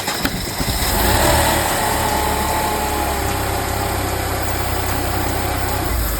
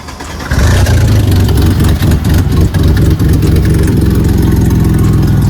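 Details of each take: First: Mercedes C32 AMG after supercharger replacement, started after three months sitting: about 5 seconds after start a whining supercharger noise rides over an uneven, choppy idle with irregular clattery pulses; problem began with the belt tensioner, cause unclear. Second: Mercedes C32 AMG supercharged, after fixing its shaking rough idle, with O2 sensors unplugged: loud, deep exhaust note settling into an even, steady idle with no stumble or shake. Normal idle.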